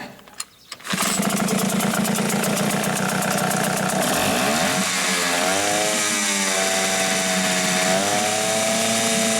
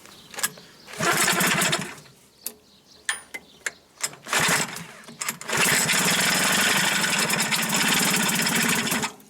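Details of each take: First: Hangkai 6.0 outboard after crankshaft assembly, bearings, con rod and piston pin bearing replaced for noise under the flywheel, run on mechanic's own spark plug to protect the coil: starts first pull, steady even buzz rising smoothly with throttle, no knock; ran about an hour fine. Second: Hankai 6.0 two-stroke outboard that makes noise under the flywheel, stalls, won't start and lacks power: harsh rattly bursts that catch and die between sharp knocks; teardown found sand, dirt and oil starvation, crankshaft bearing failure.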